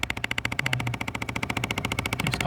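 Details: 2005 Jeep Grand Cherokee Laredo 3.7 V6, starts at ignition with the AC, changes with vent direction: fast sharp buzzing rattle, about fourteen knocks a second, from behind the dash at the air ducts; cause unknown, a pulled actuator wasn't it.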